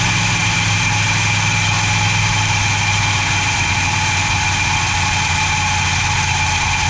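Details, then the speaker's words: 440 big-block V8 from a 1974 Chrysler New Yorker, revived after sitting, with fuel poured into the carb float bowl and a temporary water pump belt, long cranked without oil pressure: steady, strong, even idle held high, revving hard, no knocks or ticks, little blow-by. Normal fast idle; carburetor poor. "It ran strong. Didn't make any bad noises. Although it did rev to the moon, but that's what happens."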